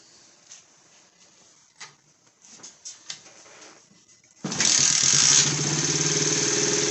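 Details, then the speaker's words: Pit bike, possibly 90cc single-cylinder, found on a rubbish pile, propped on a milk crate. It fires straight back up after shutoff and settles into a crisp, even beat with no knocks, before a gear test. "so I'll start it up and I'll ramp through the gears just to see if our transmission is working"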